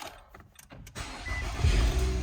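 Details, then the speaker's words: 2013 Nissan Altima after all-keys-lost smart key programming with Autel IM508: short starter whirr, engine catches at once and settles into a steady low idle with the newly programmed fob; a clean, normal start. "Yeah, this one starts."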